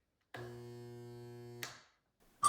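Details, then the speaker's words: InSinkErator Badger 5XL garbage disposal jammed: steady low electric hum and buzz, motor stalled and never spinning into grinding; fixes are checking for clogs, the reset button, or turning it manually from below or above. "There are four ways to fix a disposal that isn't spinning and instead makes only a humming or a buzzing noise when it is turned on."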